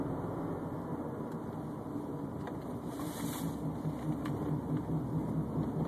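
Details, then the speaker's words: Subaru Baja at 151,000 miles, driving: low pulsing wah-wah hum over road noise from a worn press-in wheel bearing with a flat spot on the race, louder as weight shifts; wheel not loose; bearings to be replaced in pairs. "that's how you know bearing's bad cuz it's like every time I shift the weight on the wheel it hits a flat spot whenever the rollers are going over the flat spot inside the bearing race is what's making all that noise"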